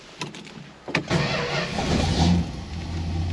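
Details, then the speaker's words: Engine first start after the build, with oil pressure immediately 60–70 on a standard high-volume oil pump and the temperature gauge still unproven. A few clicks and a short crank, then it catches at once into a steady, even idle rumble. Normal start and idle. "there we go holy crap 60 70. wow dodge i always heard they were kind of high idle and they kind of calmed down"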